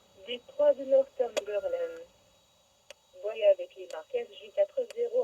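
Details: Radio with the truck off, on continuous weather-channel receive through the external speaker: sharp dry ticks about once a second over garbled audio on the A band only, gone on the B band; origin unknown.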